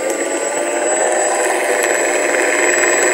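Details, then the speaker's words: Sky Mule PNP RC plane motor on the left wing, never flown, spinning before the fault shows: smooth steady high-pitched whir, no rattle or cutting out; normal running. "so absolutely fine at the moment i'll just idle on noting on the left wing no noise spinning fine"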